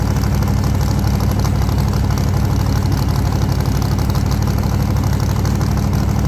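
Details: 1948 Chevy Fleetline small-block Chevy V8, 4-speed, test burnout after repair for pushrods breaking on first burnouts: loud dense V8 roar held at high revs under load, no knocks or rattles; running healthy, normal high-rev running.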